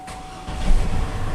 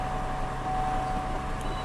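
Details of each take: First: 2003 GMC Envoy XL crank-no-start with codes P1120/P1220/P1523/P1515: silence, then engine catches and settles into a low rumble once the stuck-closed throttle plate is taped open, confirming the throttle body fault needing replacement. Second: 2003 GMC Envoy XL after a crank/no-start repair (codes P1120/P1220/P1523/P1515), codes cleared and restarted: a quiet, even idle with a steady mid-pitched hum and no misses or knocks. Normal idle.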